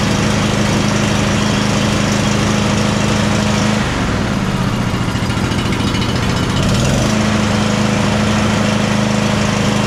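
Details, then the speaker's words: John Deere Z345E zero-turn with Briggs & Stratton ReadyStart V-twin, after fixing no-start and choke; steady running with slightly uneven, lumpy beat and brief speed dip; rough running, probably carburetor or fuel related. "It doesn't sound like it's running 100% perfect on this, but it's probably a carburetor or fuel related issue."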